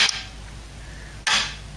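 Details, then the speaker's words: Ford Cortina A4LDe automatic gearbox wiring loom bench test, 12 volts applied to electronic kickdown circuit: two sharp clean clicks about a second apart as solenoid pulls in then holding relay switches over; working properly. "if I put 12 volts to this it'll kick down you can just hear the relay do it second click"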